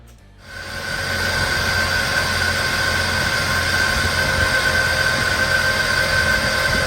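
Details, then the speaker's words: 1999 Jeep Wrangler TJ, 144,000 miles, automatic, at idle: loud steady whirring rattle with sharp high whine at constant pitch; stethoscope points to worn alternator bearing, possibly an idler pulley too; belt also needs replacement. "the more i listen to it and the more i get my ear down in there i really effort i think it's this alternator i think that's what's making all the racket"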